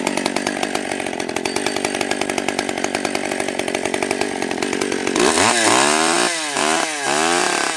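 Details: Stihl 020 AV chainsaw, first cuts after a carb rebuild, new gasket, clutch, chain and nose-bearing bar: crisp, even two-stroke buzz at steady revs, pitch sagging and recovering smoothly under each cut; runs healthy, idle turned up once warm.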